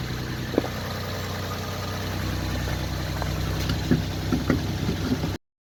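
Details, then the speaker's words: 1991 Chevy Sprint after in-car re-ring, hone, valve seals and new gaskets: smooth, even idle with steady low rumble and a few faint ticks, no misses or knocking; sounds much healthier. "oh yeah here we go it sounds way healthier crank it over okay"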